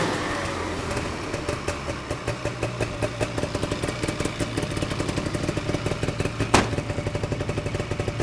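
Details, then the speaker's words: 1979 Ski-Doo Everest 444 liquid-cooled two-stroke snowmobile, pulling across the field after its first start in 3 years: even drone with a steady pulsing beat, no misses or stumbles; runs strong. "all right so uh did a little quick chant around the field and uh looks like it's running great so i am confident that this guy is gonna be top shape for our vintage snowmobile run next weekend"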